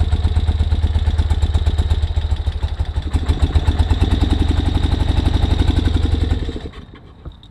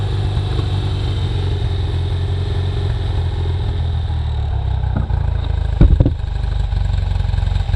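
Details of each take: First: 1973 BMW R75/5 motorcycle, unused about 8 years, electric start with chokes off then on: uneven, lumpy, lopsided idle that sags before dying. Misfire with one cylinder dead, found by feeling for the cold exhaust. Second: 1973 BMW R75/5 boxer twin, unrun since 2015, with old oil and a suspected fouled spark plug: steady, even low idle with no misses or knocks, running normally.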